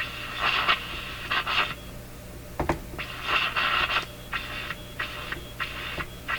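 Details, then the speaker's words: Breadner Bradna JBL-37 tube radio while components are poked and tubes wiggled: irregular hissy crackling bursts cut in and out over low hum, like something breaking into or out of oscillation; intermittent fault, cause suspected not confirmed. "Sounds like something breaking into oscillation, or maybe falling out of oscillation."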